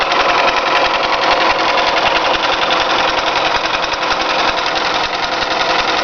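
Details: Toyota 5S-FE engine at steady idle: busy, uneven ticking knock, roughly three or four a second; owner asks what causes it, origin unclear.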